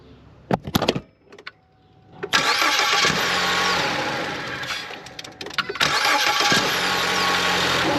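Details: 2014 Ford Escape 1.6 L with an intermittent noise during cranking. Choppy cranking with sharp metallic clatter before it catches, then an uneven run. The noise persists with the belt off, so it is internal, behind the front cover near the belt tensioner; phasers are suspected.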